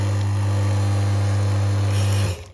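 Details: Rocket espresso machine (owner thinks the rotary-pump model), back up to pressure after power cycling and refreshing the water, with scale on the level sensor suspected: steady low pump hum for two seconds, then a clean shut-off; brewing normally.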